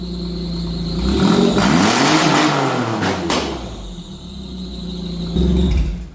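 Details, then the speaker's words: Holden Commodore Ecotec V6 nitrous drag build, start after installing a new fuel cell and fuel pump, relocating the battery to the rear and filling with 91 fuel: engine catches, revs and settles smoothly, no leaks; runs good, normal running. "Seems like a success. Runs again, so Yep. you reckon? How's it sound? Sounds good. Sounds pretty good?"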